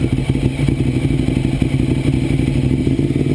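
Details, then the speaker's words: 2009 Ducati 848 after repairing a disconnected fuel pump hose with new clamps, held at raised RPM while checking for leaks. Steady, even V-twin beat with a firm low thump and no misses, knocks or rattles. No leaks found; normal running. "get some RPMs going so I'm just going to let this run for I don't know 10 15 minutes"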